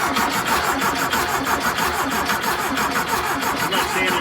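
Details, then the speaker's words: 1973 VW Thing with swapped-in VW Beetle engine, restarting after repairs: even cranking about 1.5 beats a second with no firing; not pulling fuel pressure, suspected fuel pump not delivering fuel. "s yeah it's not it's not pulling fuel pressure"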